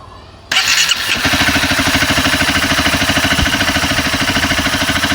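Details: Honda CBR 250R idling after tensioner adjustment attempt: starts, then fast idle with a light, quick ticking on top. Owner suspects loose timing chain, unconfirmed.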